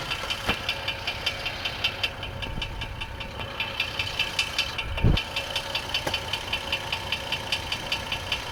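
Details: 2004 GMC Envoy 4.2L idling with the transmission removed, belt off, new harmonic balancer and oil pan removed: a sharp knock about 2.5 per second, suspected rod knock. It persists with the original, used and new flexplates alike.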